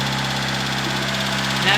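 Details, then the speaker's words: Proton Satria first start after rebuild, lifters removed and fully cleaned, oil light already off, no coolant yet, smoking: fast light ticking over a steady, slightly high idle; drained lifters clatter until oil pressure refills them. "she's also very Ticky at the moment because remember I pulled out the lifters and what's it called um and clean them out completely so the oil pressure needs to build that back up on them once that happens it should be good"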